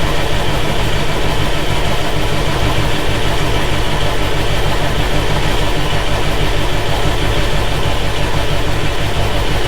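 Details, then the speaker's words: John Deere 6170M diesel after engine rebuild cranks steadily about three turns a second with no firing: an injection line left untightened on the common rail bleeds off all rail pressure, so no start. Human error; owner will check all lines. "Oh, looks like we had a line that we didn't tighten up on the rail, which would explain why It's not starting. All it takes is one of them to bleed all your pressure off on a common rail, and she ain't gonna start."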